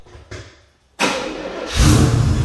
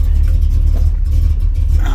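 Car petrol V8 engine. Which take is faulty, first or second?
first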